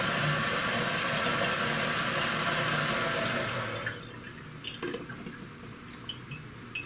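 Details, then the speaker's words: Toilet after fill valve flushed out and Kohler 83143 seal diaphragm replaced: water rushes steadily into tank then shuts off cleanly after about four seconds with a few drips, then silence; fill valve now seals properly. "at that people you hear the sound of silence isn't it beautiful"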